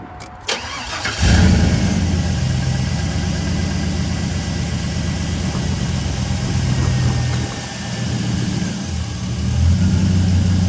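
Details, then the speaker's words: 5.3 V8 truck, cold start after clamping exhaust manifold with snapped bolts at rear: brief crank, smooth even idle, no exhaust-leak ticking; normal after fix. "anyways like i said from inside the truck i can't hear the exhaust leak at all"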